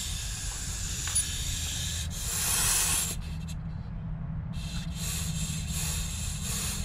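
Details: Semi trailer axle with Hendrickson TIREMAAX PRO auto inflation, hubcap bolts removed, trailer brakes released: steady airy hiss at the wheel end with no rhythm; air escaping at the hubcap.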